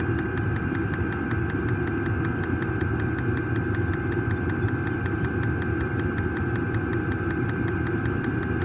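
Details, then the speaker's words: New diesel heater just installed in a Jayco Freedom caravan, running normally after switch-on: steady even combustion roar with a crisp, regular fuel-pump tick about five times a second as it pumps fuel, heard outside. "Turned it on, glow plugs heating up, pump's going. Certainly kicking in. You can hear it ticking away outside, that's for sure. Here, it's ticking away to pump the fuel."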